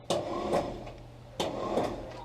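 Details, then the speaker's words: Willys Jeep with L-134 Go Devil engine, first start attempts after 35+ years sitting: two short high whirring bursts, no cranking or catch; starter spins without turning the engine, owner suspects stripped or unmeshed gears or a broken part. "it sounds like it's just spinning so i don't know if it something stripped up in there the gears not meshing or if there's something broken"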